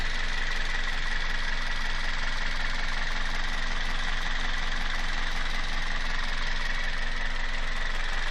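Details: Toyota 1ZZ-FE engine at steady idle: regular light tapping roughly three per second over the engine note; knock of unknown origin.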